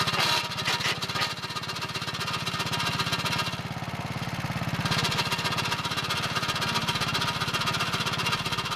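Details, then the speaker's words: Early 1961 Wheel Horse 401 lawn tractor, first start after cleanup with belt guard refitted: engine running with rapid uneven slapping chatter about two per second; belt drags with clutch pushed in, transmission still turning, clutch/brake linkage needs readjusting. "Okay, that's not good. That's the belt chattering when I push in the clutch. So the transmission's still turning, and I won't be able to get it in gear without grinding stuff."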